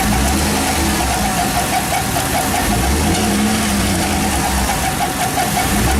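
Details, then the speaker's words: 2007 GM LS Vortec 4.8 L truck at idle, serpentine belts off and timing chain cover removed, oil pump ruled out: light quick ticking in time with the engine, attributed to the roller lifters; lifter and camshaft replacement planned. "oK we've isolated that because we've taken all the serpentine belts off fired it up we have the timing chain cover clear off we know it's not an oil pump so that noise has got to be the roller lifters"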